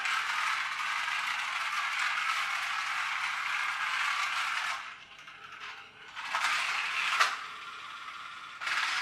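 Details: Magic Track toy car after a superglue repair: a buzzy, high-pitched gear whir with a light rattle, fading and returning as it laps the track; the drive runs normally.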